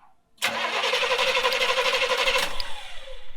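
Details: 1970s Coachman Leprechaun motorhome, cranked with the valve at the fuel pump held open to prime it; steady rapid cranking for about three seconds without catching. Cranks but does not start, as no fuel is reaching the engine.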